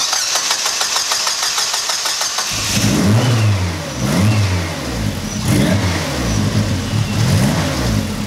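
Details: Car, first start after a new engine harness install: it catches and idles unevenly, speed swelling and sagging about once a second, a rough hunting idle. Codes show bypass and wastegate solenoid and idle air control faults; the cause is unconfirmed.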